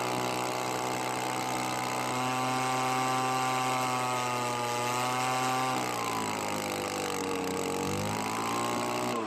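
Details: Well-used Echo leaf blower that wouldn't stay running, treated with Marvel Mystery oil, carburetor heavily adjusted for reduced airflow; engine hums with pitch wandering as screws are turned, never crisp, runs but very low on power from low compression.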